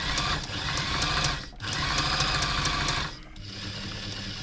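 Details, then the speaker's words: Brother XL5012 domestic sewing machine, about 20 years old and long unused in a cupboard, run under power after servicing and reassembly, before oiling: brisk, even clatter of about three stitches a second in short runs, no knocking or grinding; running normally. "And that is running everything it should be."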